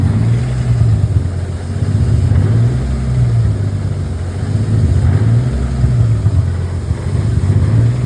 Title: M52 (Turbo) Rough Idle after ECU (Link G4X) firmware update